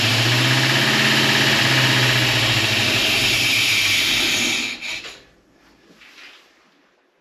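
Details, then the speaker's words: 1956 Chevy wagon small-block V8 that sat two years outdoors, first start after a new HEI distributor, valve adjustment and new exhaust gaskets. A loud hissy rush over a lumpy idle before cutting out; owner suspects an exhaust or vacuum leak: rough noisy idle. "sounds like it's got exhaust leak for sure but it is running definitely a little noisy but considering it sat for a while it's okay"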